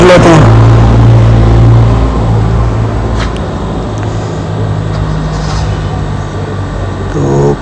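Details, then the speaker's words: GMC with P0300 misfire code: engine revved then settles to a smooth, even low idle with no stumbles; live data shows zero misfire counts on all cylinders. "गाड़ी को मैंने race भी दी है तो कोई भी cylinder में इस बार नहीं कर रहा हूं"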